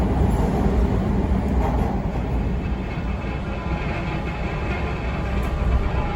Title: TTC T1 Bombardier 5283 odd rattling sound on line 2 starting at keele 0:14 onwards 1/18/22